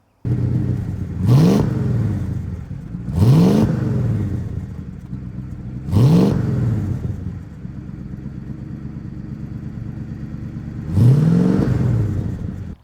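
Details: 1962 Dodge Custom 880, long dormant and once said to have a cracked block: four clean throttle blips, each falling back to a steady idle; engine pulls up smoothly, no longer smokes, owner doubts the block is cracked.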